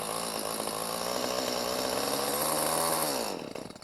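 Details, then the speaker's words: Stihl chainsaw buzzes steadily, then sputters and dies as soon as a little throttle is given; randomly stops, hard to restart after shutoff, cause unknown. "see soon as you give it a little bit of gas it shuts right off"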